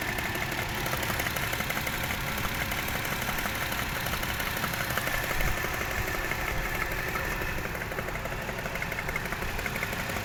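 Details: Toyota 1JZ-GE at idle: light, somewhat uneven knock about three per second under the engine hum; source not pinned down, others advise checking camshaft bolt tightness; unconfirmed.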